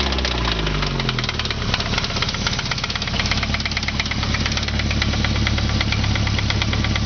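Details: Nissan KA24E engine at idle: a heavy, deep knock about three times a second pounds steadily under the idle, a classic bottom-end rod knock.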